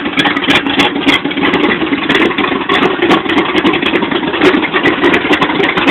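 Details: 1986 Chevy short bed V8 with Comp Cams Extreme Energy camshaft, flat top pistons, cast iron heads with 2.02/1.60 valves: uneven, loping idle with lumpy, irregular pulse and misses; rough idle, cause not pinned down.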